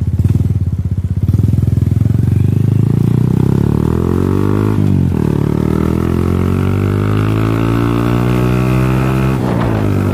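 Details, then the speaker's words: Second-generation Honda Supra Fit X that stalls after throttle release and restarts on the second kick, still sparking: the single labours with its pitch sagging and wandering, feeling heavy and powerless, then dies; exhaust valve compression leak. "Oh, nah udah mulai terasa nih. Motornya berat, nggak ada tenaganya. Nah, motornya mati, teman-teman."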